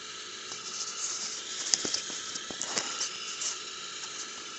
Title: Td5 strange noise from FPR